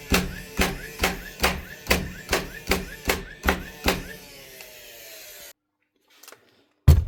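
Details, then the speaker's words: DeWalt DCN660 Type 1 cordless nailer tested after replacing a broken firing pin (driver assembly): ten crisp, even shots at about two per second in bump mode, each a sharp clack with a short ring. Nailer fires normally after repair. "Hopefully she leaves some holes, put some nails out. Stick it on the bump mode there."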